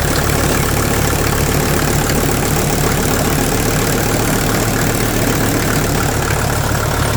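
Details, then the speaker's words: 1983 Mercedes 300D, OM617 turbo diesel, started after sitting overnight, listened up close: loud steady clatter at idle, roughly four knocks a second over a low diesel rumble; owner suspects injector knock, especially injector number one, not confirmed; also burning some oil. "it sounds like something's a little clattery on the inside and I'm not 100% sure what it is honestly it sounds like injector knock"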